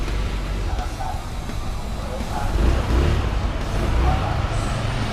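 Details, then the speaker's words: Easyride 150N GY6 scooter with D-type carb, auto enricher (auto choke) removed to fix hard starting and fuel thirst: starts on one kick and idles with a low, even, quiet single-cylinder putter without popping or surging. Normal idle. "umandar agad one kick lang one kick lang umandar na siya tapos ang lamig ng andar ni hindi masyadong maingay"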